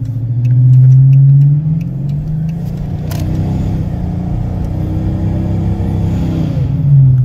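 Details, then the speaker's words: 2014 Dodge Charger R/T AWD, Procharger D1SC, 3600 stall FTI torque converter, 530 AWHP, accelerating to merge into traffic: revs climb fast and hang at an rpm, CVT-like, while road speed builds slowly; normal high-stall converter flare. "you can hear the engine kind of go up and kind of just hang at an RPM almost feels like a CVT transmission"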